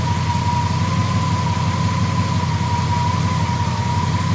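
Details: Triumph Stag V8 idling after an engine rebuild: steady high whine over an even low rumble, cause unidentified. Owner notes it only seems to start after revving to extinguish the ignition light.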